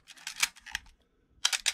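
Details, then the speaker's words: Canon A1 film camera after oiling gears to fix the Canon cough/squeak: two crisp, dry shutter-and-mirror cycles at 1/125, clean snaps with no squeak or drag; mechanism healthy. "okay so that's all normal so that was on 125."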